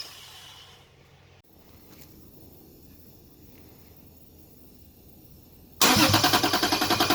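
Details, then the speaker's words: Toyota Cressida with 2JZ engine swap and LQ9 coils, brake cleaner sprayed into intake: quiet, then a short burst of rapid pulses as it catches on spray and dies; injectors unpowered through a missing harness plug, so no fuel. "all right as you can see I got the start not for a long time but started under its own power one thing I was missing there's this bf2 or three plug that needs power for the injectors that's why I wasn't getting any fuel"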